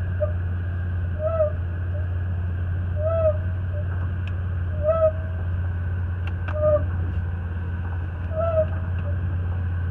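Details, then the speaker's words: Chevy Impala after rear hub bearing replacement: short hooting howls repeat about every 1.7 seconds over a low engine rumble, only in reverse and not going forward, from rusty parking brake shoes rubbing. "notice how that we only get that sound out of that bearing or that break in reverse it doesn't make any noise going forward which is it's interesting"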